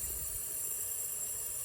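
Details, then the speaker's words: Junkyard 5.7 HEMI from a police car, leak-down test on cylinder one with engine off: steady even hiss of escaping air, leaking 95, heard up the exhaust manifold; likely exhaust valve, heads probably need pulling. "you can see this thing is leaking 95 so i don't know if y'all can hear this but that's up the exhaust manifold and i can feel hopefully you can hear there's some air leaking out"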